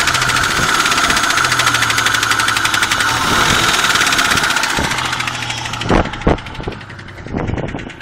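Steady engine run with a light, fairly quick tapping knock near three a second, then a few louder separate thumps toward the end.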